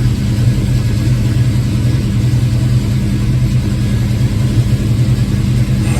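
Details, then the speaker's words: Ford Foxbody with hot-start and surging-idle trouble, first cold start of the day with timing at about 12 degrees: started right up, steady smooth low rumble with no misses or knocks, rpm slightly high and coming down. Normal fast idle. "So far so good. Started right up like I expected. It hasn't been started yet today. It's coming down on its RPM. Looks like it's still a little high."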